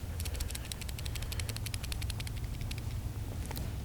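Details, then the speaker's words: 1995 Jaguar XJ12 driveshaft center support bearing, removed and shaken next to the microphone: rapid loose metallic ticks and rattles from broken bearing pieces, which had torn the rubber bushing and caused vibration felt at the armrest. Replaced with a new support assembly. "And I'll shake this thing next to my microphone. You can hear the little bearing pieces inside."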